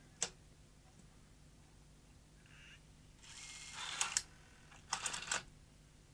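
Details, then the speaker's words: Sony EVS1000E Hi8 video recorder from 1989 with a Sony U-mechanism deck, run with the front panel disconnected: scattered clicks, brief motor whir and irregular clatter as the deck fails to load the tape. Suspected cause is too much light reaching a sensor, unconfirmed. "no it doesn't work what's wrong it's behaving strangely a bit like a VHS machine does when it's got too much light on it"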